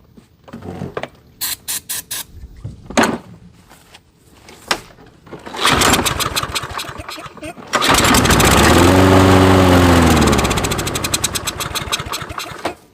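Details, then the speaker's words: Toro mower discarded as non-starting: several rope pulls, then catches on starting spray, revs briefly and winds down to a stall; blockage in the carburetor suspected; fuel starvation from blocked carburetor jet. "right so it starts and dies with the spray and that spray is basically like a fuel replacement"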